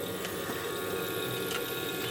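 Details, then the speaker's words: Sapphire boiler after a service, burner relit at the end: lights and holds a steady, even roar with a smooth fan hum, no pulsing or rumble; fires cleanly, boiler done. "pull my machine out plug this one in and you can hear it fires and absolute dry so that's basically the boiler done"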